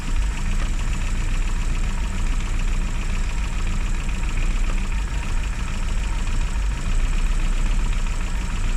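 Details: Classic Mini (Riley Elf) with points ignition, idling after a hard cold start on the year's coldest day, following about three months unused: steady, even low rumble, no misses or knocks; normal idle.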